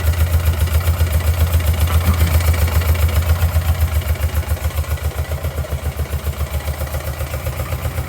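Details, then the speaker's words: Motorcycle twin with one dead cylinder (plugs changed, coils swapped, no change), dead side unplugged: lumpy low thudding idle about four beats a second, running on a single cylinder; rideable on one cylinder. "I unfortunately got stuck at work when this happened and had to drive back on the one cylinder. So it does run and"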